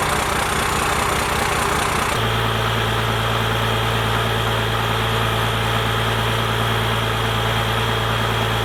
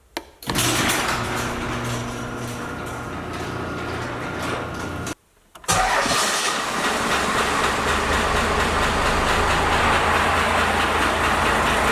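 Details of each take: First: First-gen Cummins diesel, 4-inch straight pipe, timing advanced, settling smoothly after the throttle/idle speed was raised: loud, low, steady idle with an even lope; sounds healthy. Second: First-gen Cummins diesel truck with 4-inch straight pipe, before advancing timing and raising idle: cranks and catches, then lopes along at a very slow, lumpy idle with loud exhaust; idle set far too low.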